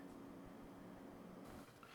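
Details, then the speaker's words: Supermicro 846 server chassis with quiet replacement fans, two rear fans wired to the backplane for testing: a very soft, even hum with no rattle or grind, barely audible and at a slightly different pitch, running fine. "They're definitely blown perfectly fine. You can barely hear them. They're a slightly different pitch, but they're still very quiet."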